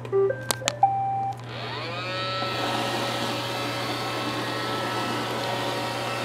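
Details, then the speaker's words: Roomba with intermittent Error 5 after its main board was washed, first test run after oven-drying and reassembly: startup beeps, then a smooth, steady motor whir with no grinding or the earlier odd noises; running normally for now. "I think it likes it. We'll just have to wait and see for a while."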